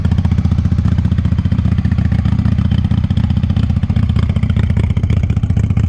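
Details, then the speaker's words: 1998 Honda Shadow 750 ACE V-twin, sat over 5 years, running after carburetor cleaned and refitted: very loud, deep burble with ragged, uneven beat, hesitating at times; pipes likely lack baffles, owner suspects fuel issue from aging gas. "okay so there's a good indication of how it sounds it's pretty loud honestly kind of too loud but it seems sacriligious to change the pipes to make it quieter"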